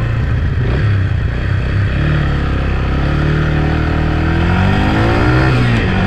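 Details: Yamaha TT-R 125 single-cylinder, on a ride: revs cleanly with rising and falling pitch, even firing, no misses or knocks; runs good, clutch and brakes fine, may need front pads.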